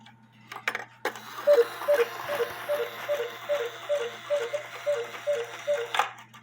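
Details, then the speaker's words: Cuckoo clock running a 1,500 gram drive weight when the movement calls for 320 grams; quick two-note calls rattle off about twice a second, far too hurried: the cuckoo calls too fast because the weight is too heavy. "But if you're using too heavy of a weight, it's gonna cuckoo too fast. So make sure you use the right weight."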